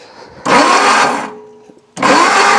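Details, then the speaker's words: 1963 Ford Lotus Cortina Mk1 Crayford convertible, long-stored garage find, plugs out: two short bursts of even starter whir, no grinding, turns over smoothly with plenty of air through; normal cranking before fitting plugs. "right i'm getting plenty of air coming through anyway nothing no nasty things at the moment no i'm not hearing any grinding it's smooth as can be so that's good"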